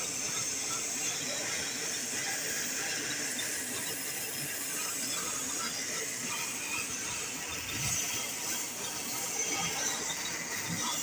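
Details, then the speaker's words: 2007 Ford Taurus at idle: steady airy high hiss that doesn't change, air sucked through a broken EVAP vacuum hose, causing a misfire. "está rota está rota la manguera ahí dejó de escucharse a ver si lo Al canzan escuchar otra vez ahí va el vacío se escucha el y empieza a hacer la fallera esa"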